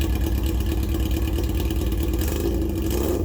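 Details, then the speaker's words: Yamaha XJ650, about 40 years old, back after 8 years off the road: exhaust with baffle removed, blipped for comparison, deep loud throaty bark with a raspy open edge, far too loud for the road. A baffle, then a wrap, was being tried to quiet it. "so just for the sake of a real comparison here it is unbaffled again"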